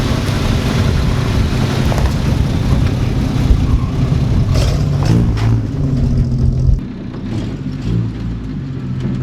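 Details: 1946 Studebaker M5 pickup with an AMC 258 inline six, cold start in spring: a deep, even beat rises cleanly with the throttle and settles back smoothly; a healthy-sounding engine.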